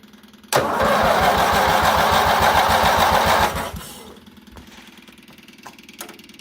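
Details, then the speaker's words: Baby Doe John Deere tractor after fuel system work, fuel pump wired always-on, starting with throttle and added choke; engine catches suddenly, quick steady putter about three seconds, then dies down; engine starting on choke. "Uh, give this a little throttle. See what it does here. How about some choke? Choke. A little more"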